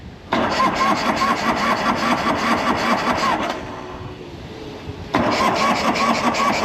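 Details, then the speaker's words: 1984 Harley-Davidson FLT Tour Glide that ran the day before, fuel enricher on: starter churns two to three turns a second, stops, cranks again, never catches; cranks but won't start, owner suspects lost spark in the 40-year-old ignition. "it's funny ran great yesterday somebody commented about the 40-year-old ignition system well it appears I've lost spark"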